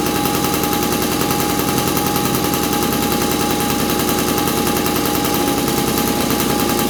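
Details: 1983 Honda QR50, unrestored 49cc oil-injected single-cylinder two-stroke with automatic clutch, just started after fuel flow checked: fast, crackly popping at a fairly steady pace on full choke; engine caught and keeps running.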